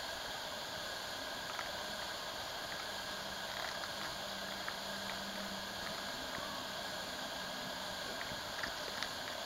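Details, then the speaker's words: Meade LXD75 10-inch telescope mount running the AutoStar hand box calibrate motor setting: faint low whir from the small drive motors that starts, holds and stops with light clicks over quiet room hiss; drive motors operating normally. "And then there's a calibrate motor setting, which is the next one. Alright, you hear it working. It's testing out the motors."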